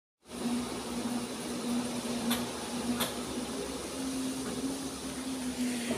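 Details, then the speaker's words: 16 kg direct-drive LG inverter automatic washing machine after replacing the defective gear clutch assembly. Before the repair it would not wash or spin and was very noisy when trying to turn. Drum now rotates with a smooth, steady low hum and an occasional light tick. Normal. "So ayan umikot na siya. Yan. So okay na."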